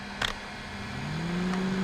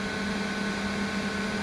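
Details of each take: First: 1200 W inverter generator loaded to 1500 W: a low electrical hum slides upward in pitch with a few clicks as the inverter strains under overload, then it dies. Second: 1200 W inverter pushed to about 1292 W load: its cooling fan kicks on, giving a steady, even hum with a constant low tone and a soft airy rush. The fan is running normally under heavy load.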